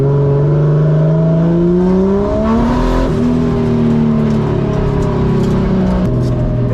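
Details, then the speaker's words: 1JZ-swapped Nissan 240SX S14 on track after spark plug change: rough, uneven revving with stumbling pulls as revs climb and fall; misfire returned. "Oh, damn. It just misfired again."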